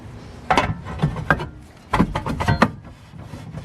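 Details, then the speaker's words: BMW E36 drift car during parking brake adjustment, set tighter than street use: turning the rotor by hand gives uneven scraping rubs and dull knocks each pass, parking brake shoes dragging with felt resistance. "we go so you can hear the brakes dragging and I can feel resistance on the rotor when I spin it"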